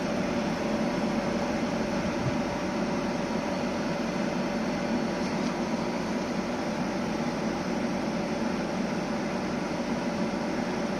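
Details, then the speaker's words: 2009 Samsung 9000 on/off home air conditioner after replacing the burnt capacitor, compressor running with a steady even hum, return pipe cooling and frosting on a 33-degree day; normal compressor running. "de asemenea, de la zgomotul pe care îl auzi precum compresorul Tocmai a pornit, a pornit, comprimă gazul și înapoi"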